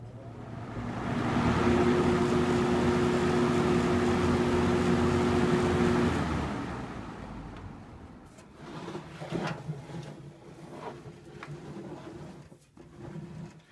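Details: 1979-80 Galaxy model 3713 20-inch three-speed box fan on high speed: steady airy rush with soft even motor hum, no rattle or bearing growl; healthy.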